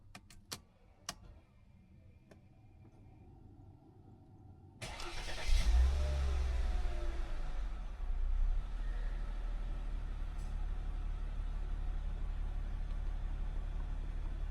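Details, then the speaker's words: Mercedes W203 C240, M112 V6, after resoldering failing joints in the Temic ECL-G4 400 W extra-fan module and refilling coolant: quiet ticks, clean crank and catch, brief rev settling to even idle with steady fan rush; no malfunction warnings, fan working again. "normal normal normal noall function dan fan muter fan kembali normal"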